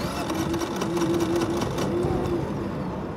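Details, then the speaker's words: Brand-new Generac iQ3500 inverter generator, about two hours old, giving zero volts; no load, economy off, oil and gasoline full: starter churns in a quick uneven rhythm of about three to four strokes per second, but the engine never fires. "you can hear it trying well I don't know brand-spanking-new has the oil in it it's full of gasoline"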